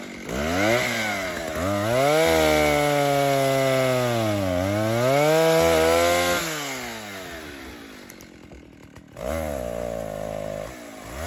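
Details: 1960s Stihl 08S two-stroke chainsaw, close to 60 cc, with a chain brake, newly brought back to running and cutting firewood; a strong buzz rises and falls smoothly as the chain bites, then revs freely; runs normally and cleanly under load.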